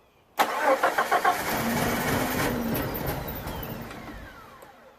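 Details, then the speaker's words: 1987 Jeep Comanche, AMC 4.0L Renix, died while driving; no fuel rail pressure, pump doesn't prime at key-on, runs on starting fluid: starter chugs three to four times a second, winds down without firing; crank no start, suspected failed fuel pump. "There is no pressure in the fuel rail, and the fuel pump does not prime when you turn the key, so I have a feeling this is a fuel-related issue."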